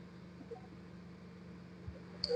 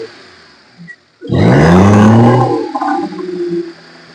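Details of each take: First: Maruti Suzuki 800 carburettor model with misfire, starting, low pickup and poor revving complaints: at the silencer, a quiet, even exhaust hum at idle; the earlier tak-tak tapping felt by hand is gone, no other sounds, normal idle. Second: Maruti Suzuki 800 carburettor engine revved: climbs sluggishly, misfires and will not reach full revs, with tapping and strong engine vibration.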